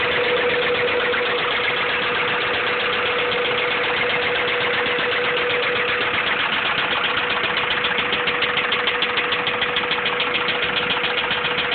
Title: b16 rod knock.3gp